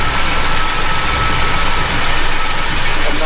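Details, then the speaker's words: Chevy truck V8 warmed up after valve adjustment, ignition timing possibly still off: fast steady high idle with a thin airy hiss and faint whistle; owner suspects many vacuum leaks, possibly at the intake manifold, cause the high idle. "there are you hear the leaks there's so many vacuum leaks in here that I think that's why I'm idling"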